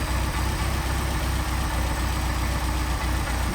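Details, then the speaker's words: Mercedes 190SL with Solex carbs that sat long and were cleaned of sludge: idle mixture screw turned in, giving a lumpy uneven idle that is too lean; idle also stuck around 700 rpm, suspected air leak. "And all we're doing is leaning it out. That's too lean right there. Back it out."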